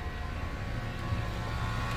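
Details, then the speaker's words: Ford Fusion Hybrid just jump-started with a NOCO GB150 after a dead battery: steady low hum at even speed, no misses, knocks or hunting; alternator putting out 14 volts; normal idle. "now she's running kind of here go ahead and rev it up a little bit did it die see if it'll go yeah it's running i can hear it now"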